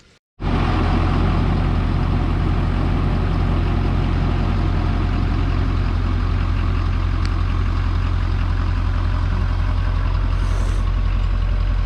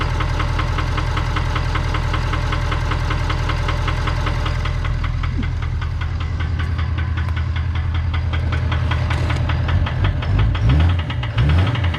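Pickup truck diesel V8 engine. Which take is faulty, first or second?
second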